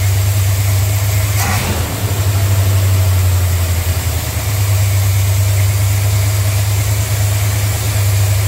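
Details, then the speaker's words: Plymouth cold start: engine idles low and uneven, stumbling and wavering; rough running traced to the brake booster vacuum line left unplugged, a vacuum leak. "well she was running rough I imagine you guys were just screaming at the camera that you're very your gasket went flippity flip"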